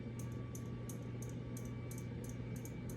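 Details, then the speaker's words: Baseball-themed ceiling fan from 2013 on its high speed: a steady low hum with a light tick two or three times a second as the blades turn; the fan taps and wobbles, its bracket not fully seated. "can hear it taps. No wobbling."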